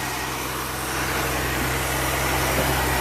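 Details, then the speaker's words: Ford Falcon, believed 170 cu in inline six, first run in about 17 years on fresh gas from a temporary tank to the fuel pump: steady, smooth idle hum, no valve train ticking; normal idle. "not bad not bad for that little girl listen to that motor sounds pretty good say I'm old for it in lines are good running engines no valve train noise or anything by the sounds of it"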